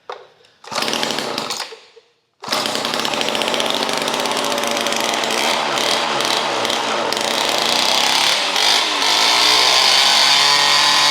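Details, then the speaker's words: Vintage weed trimmer, last repaired 1989, long stored, only fresh gas added; started with choke out, latched on high throttle; after sputters holds steady high-pitched buzz; normal running. "All right, let's start it up. I got it latched on high throttle. And I got the choke out."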